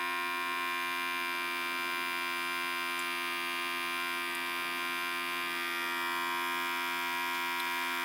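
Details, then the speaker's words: Electric fuel pump on a freshly rebuilt 1964 Pontiac 389 switched on before first start: steady high-pitched buzz with even hum, no pulsing, as the carburettor bowls fill; pressure set to 5.5 psi; normal priming. "i don't know there it goes i heard it i can hear the bowls filling up"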